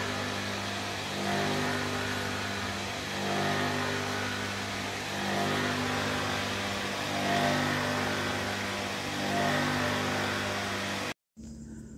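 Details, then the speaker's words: Sanyo household water pump running with no water drawn all day, tank empty: steady motor drone with coarse, surging roughness; pump not sucking water, lost prime and running dry. "seperti itu suara pompanya ya teman-teman jadi kasar sekali"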